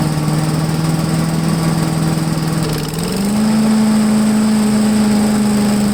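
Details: MTD push blower with 5 hp Honda engine, sat 2+ years, restarted on full choke after priming, air filter off, on a table: runs steadily, speed steps up after about three seconds and holds an even smooth note, no misfire.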